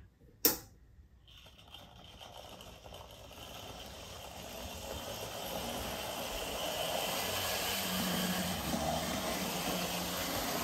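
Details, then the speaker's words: Older Bachmann GP40 model locomotive with shell removed: buzzing whir swells with speed and stays loud; motor still not quiet but noise was being amplified by the shell resonating. "so I've removed the shell so it's still not the quietest of Motors but it's definitely been Amplified by the shell"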